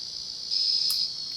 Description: This fan has a FUBARED Inteli-Touch board which the sound driver makes a constant buzzing sound when power is applied.